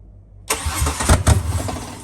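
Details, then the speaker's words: Ford Barra XR6 turbo engine (NA+T build) after fitting FG turbo intake manifold, fuel rail, coil packs and BA/BF turbo MAP sensor: catches with uneven chuffs, sags and fades in about two seconds; fires but won't idle, owner suspects MAP sensor or fuel pressure. "Alright, we've got ignition, but it's not going to idle."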